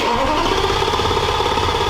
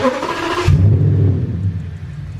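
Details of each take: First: V10 as it started before the junction box fuse was swapped: uneven, lumpy running right after start with an irregularly stumbling beat; misfiring, which ran much better after the fuse swap. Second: V10 after a fuse in the underhood junction box was swapped, intakes off and map sensors unplugged: a short crank, then it catches within a second into a deep, even rumble, starting quicker than before.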